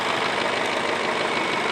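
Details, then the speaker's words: 2008 Ford Fusion with a P0757 stuck "B" solenoid transmission code, hood open, warm: quiet, smooth, even idle; the owner says it sounds good and mentions only a little lifter tick at first start. Normal idle. "a good sounding engine I mean listen to it I don't think the camera does it just this probably sounds a little loud on the camera but it's very quiet to me a little bit of the lifter tick when you first"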